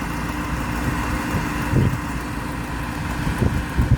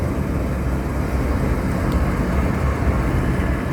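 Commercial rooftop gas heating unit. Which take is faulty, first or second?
first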